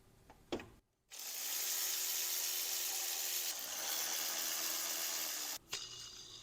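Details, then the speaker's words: 2006 BMW X3 E83, M54 engine, 17 years old, during belt and pulley replacement: belt tensioner pulley spun by hand gives a dry, gritty rushing hiss with faint rough drone; bearing sounds terrible, worn tensioner pulley bearing. "this bearing sounds terrible so we definitely need to address this"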